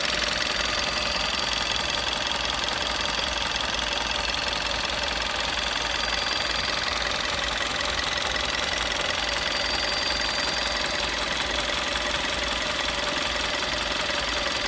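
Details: Warm-engine idle of a 12/2011 Golf VI 1.4 TSI 90 kW (122 PS): even running with a thin, steady, strong high whistle in the engine bay, heard only around the water pump.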